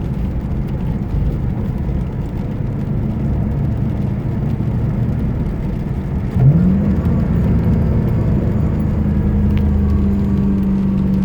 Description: My 2010 GT started making this whining noise not too long ago. At first I thought it was the serpentine belt, or worse the alternator going bust. Turns out it was just the Idler pulley.